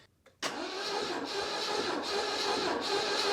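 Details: 1989 Citroën CX 2500 GTi, off the road since about 2007, during compression test: starter drags the engine slowly with a laboured dip about every three-quarters second despite one cylinder having compression; battery weak.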